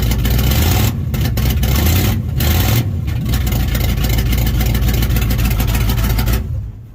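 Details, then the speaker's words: Big-block Mopar V8 in a Dodge Sweptline just after cam swap to Purple Shaft 44-284, first start with open exhaust: loud, lumpy cam idle with throttle blips, picks up cleanly and runs even; normal running. "let's crank on this thing, get fuel in that carburetor, and see what this thing sounds like with open exhaust, because I also don't have that hooked up yet."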